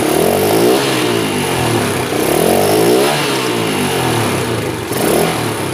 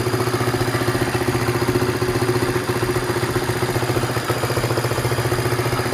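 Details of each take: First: Honda Sonic motorcycle, hard to start and weak to accelerate: revs swell and fall in slow, labored surges and bog; the mechanic suspects low compression and vacuum-operated valves rather than the carburetor. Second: Honda Sonic, brought in for hard starting and poor acceleration, after a replacement carburetor was fitted and tuned; compression is somewhat low. The small single now runs a steady, even idle with a quick, regular beat of about four pulses a second and no misses.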